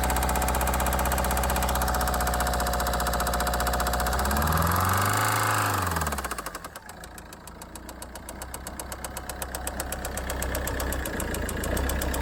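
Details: 1.6 HDi diesel at idle: sharp, even knock about four per second over the idle, from failed connecting rod bearings.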